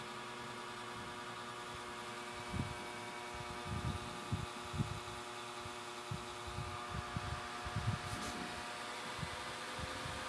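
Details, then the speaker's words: Desktop PC stuck at logo, suspected defective hard drive, run on substitute power supply: no longer shuts off immediately but steady loud whirring hum with soft thumps; fans spinning fast and loud. "Hindi na siya namamatay kapag itong power supply ko gamit ko. Pero ang lakas ng ikot ng fan niya."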